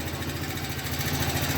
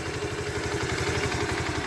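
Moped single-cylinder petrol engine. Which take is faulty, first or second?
first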